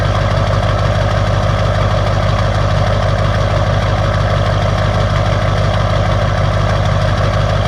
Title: Lb7 Duramax diesel cold start bad Injectors